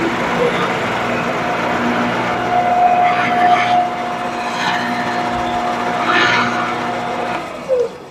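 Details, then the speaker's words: Shopsmith, quill locks tightened, turned on at highest speed and dialed down to lowest: steady motor hum with an even tone, no vibration, knocking or rattle. Speed control working normally. "Should sound like just like you did right now. And so at this point, we're going to turn it back on and we're going to make sure that the speed dial mechanism works."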